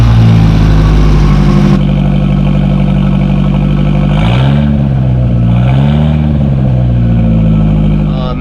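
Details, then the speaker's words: Porsche 924 Turbo, abandoned car just back up and running, idling steadily then blipped a couple of times: loud, raspy note from a hacked-up modified exhaust with a hollowed-out catalytic converter and no muffler. "you can see, this thing has had a modified exhaust, and somebody has just hacked up all of the exhaust here on it. And there's supposed to be a muffler right here, and that's supposed to be a catalytic converter. That's empty, so somebody had hollowed that out already, and this is not really providing any muffling."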